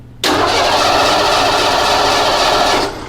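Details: Ford with EEC IV ignition, cranked with the key on while the coil wires are tested: a steady starter whir for about 2.5 seconds, never firing. Cranks but no start from no spark.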